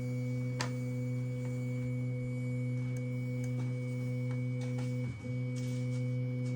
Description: My A1 has starting making a long beeping noise two times at the start of printing.